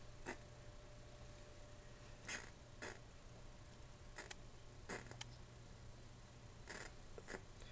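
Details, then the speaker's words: 1984 Panasonic CTF-1359R colour TV: sharp irregular snaps and crackles over a low hum when turning the screen control, high-voltage arcing from a failed flyback; B+ fuse had blown. "something is up with this screen control cuz if I turn the screen you can hear it arcing"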